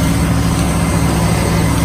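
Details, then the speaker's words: 2003 Chevy Silverado 1500 with a no-crank fault, started by jumping starter relay pin 87 to positive (faulty wiring or neutral safety switch suspected): steady even low rumble, no misses or knocks. Normal idle. "as you can see that's the way you can kinda hack it to get it to start if yours has an issue possibly with some faulty wiring the neutral safety switch"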